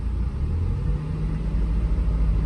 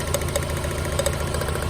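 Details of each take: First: Mazda Miata four-cylinder petrol engine warmed up and idling steady and even, no missing beats, after fixing a bad injector that left it running on three cylinders, plus new plugs, plug wires, fuel filter and fresh fuel; a slight valve tick was noticed. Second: Mazda Miata at idle, running on three cylinders: lumpy low idle with sharp ticks; cylinder 3 shows no drop when its plug is pulled though coil and plug still spark — dead cylinder from a bad injector delivering no fuel.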